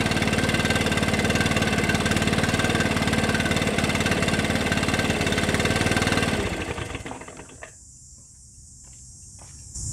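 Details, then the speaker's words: Stihl BR600 backpack leaf blower after adjusting the hidden throttle trigger set screw to reduce trigger slop: steady full-throttle scream for six seconds, then drops as trigger released; clean strong run, full throttle restored. "It's definitely mashing the throttle much sooner as I depress that throttle trigger, and it seems to be getting that full throttle out of it now."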